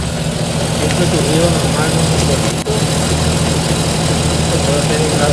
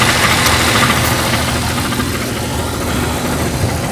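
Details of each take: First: 1993–98 Jeep Cherokee after fixing a noise at the flywheel ring gear with threadlocked bolts: steady, even idle with a smooth low rumble and no ticking or rattle from the flywheel area; healthy. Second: Jeep Cherokee engine at idle: steady idle with a light metallic tapping about three times a second; loose flexplate (ring gear) bolts, to be fixed by tightening the bolts with lock washers or threadlocker.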